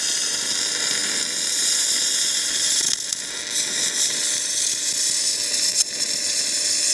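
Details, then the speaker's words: MIG welding a farm repair into a deeply gouged, cleaned joint: a steady, even crackle and sizzle like frying bacon with no pops, a hot weld with plenty of material going in. Normal MIG weld. "You should be able to hear that weld just like frying bacon."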